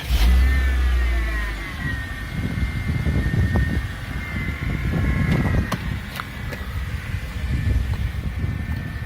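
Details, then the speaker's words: Mercedes-Benz C-Class W204 with M271 Evo engine, engine revved to check belt pulleys (idler, tensioner, water pump, alternator). Smooth, even run with no whizzing from the belt side. Normal pulley sound. "Normal, tuan-tuan tengok lah bunyi normal dia memang tak adalah patutnya macam tu."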